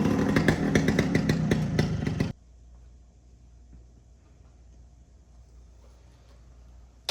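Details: 1973 Suzuki TS250 Savage two-stroke enduro, barn find revived after sitting 25–30 years, first ride; crisp, even two-stroke pops for about two seconds with a brief blip, then near quiet; runs clean and healthy before going into gear.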